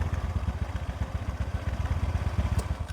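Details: TVS Ntorq 125 BS4 scooter with a hard morning start; the auto choke was not working and was removed. Even, steady low thumping of about ten beats a second settles to a slow, regular idle; the engine is running normally.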